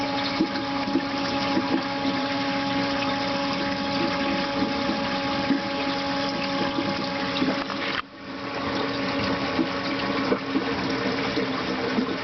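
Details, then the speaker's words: EcoTech Marine Vectra L1 aquarium return pump at maximum speed: steady loud hum with a fixed tone over water rush. Already loud at setting 3. Loud pump noise at full speed. "but if I turn it up any more it gets really really loud I'll turn it up and let you hear it that's all speed"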